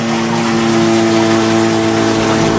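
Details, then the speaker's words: Toilet cistern refilling after flush; loud steady engine-like hum over rushing water, continuing until the tank is full, for months; caused by worn 32mm float valve diaphragm washer, fixed by replacing the washer. "My toilet has been making a crazy amount of sound for months now, and I've not really bothered looking at it, and just recently I thought I need to fix this now. It's just crazy how much noise it makes, and you can hear it now if I flush it."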